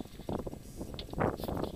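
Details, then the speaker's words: Suzuki SX4 in park, front CV axle shaft rocked by hand: irregular dull clunks in short bursts, vibration felt through the shaft; the bad CV axle is suspected as the cause of high-speed wobble and clunks over bumps. "so the way I was able to pinpoint this down is I have the the car in park and hopefully you can hear it clunking around so yeah it makes that clunk sound"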